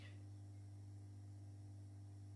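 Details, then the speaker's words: Phosphor-coated high-pressure sodium lamps, including a 400 W, warming up after switch-on: steady low mains hum with a faint buzz from the ballasts, which stops once the lamps reach full brightness. Normal ballast hum. "okay you can actually hear them humming that's just the bell so once they get to full brightness they'll stop humming"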